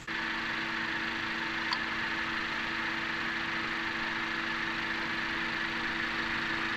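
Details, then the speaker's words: 2017 Honda Accord petrol engine idling smoothly with a steady, even hum after Gumout all-in-one fuel system cleaner; the earlier knocking/pinging, attributed to combustion chamber carbon deposits, is gone. "also more importantly the engine knocking is gone let's listen here's the before and here's the after"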